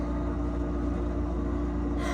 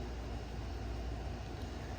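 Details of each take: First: You guys, do you hear this loud fridge? It's supposed to be going away today. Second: New replacement refrigerator running: steady, even low hum with no rattles, knocks or rumbling surges, unlike the loud old fridge; normal operation.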